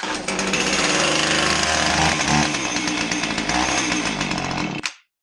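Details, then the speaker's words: Husqvarna 450 chainsaw, well-worn cylinder, aftermarket carb and coil; harsh ragged missing two-stroke bark for about five seconds then dies, chain turning wrong way; coil goes to full advance, firing before TDC, running backwards. "Did you see that? Did you see the chain turning the wrong way?"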